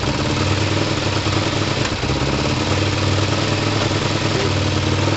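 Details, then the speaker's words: Kawasaki ER5 twin motorcycle at idle: steady burble with a brief big sag near two seconds where it nearly stalls, then recovers; right cylinder suspected, carb balance or air-fuel screws considered for adjustment; intermittent idle stumble, cause unclear. "real weird stall in the engine so look tune in the cops i mean they're kind of close enough anyway but that big drop is nuts"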